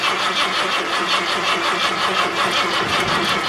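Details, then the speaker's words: 1978 Ford LTD at about -10°F after more charging and starting fluid (more liquid than vapor in the cold): steady fast cranking about three beats a second, never fires; cranks but won't start. "so fortunately you guys didn't really miss anything because the car didn't start"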